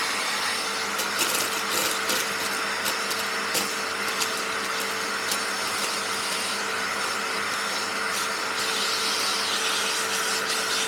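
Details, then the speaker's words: Panasonic MC-E468 vacuum with long crevice tool fitted, running after beater bar fix: steady strong motor roar with airy nozzle rush, no rattles or pitch dips; healthy strong suction. "now anyway let's let's uh turn it on and let's see if we get it sucked up whoa feel the suction on that"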